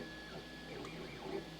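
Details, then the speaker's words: Furlingtech YAN 3D printer, new, first print: light whirring stepper moves with faint squeaky chirps as the head travels; owner suspects smooth rods need lubricant; print quality unaffected. "I'm getting some weird squeaky noises. Yeah, I hear them. They sound like our dog. It could be that it needs some lubricant along the smooth rods."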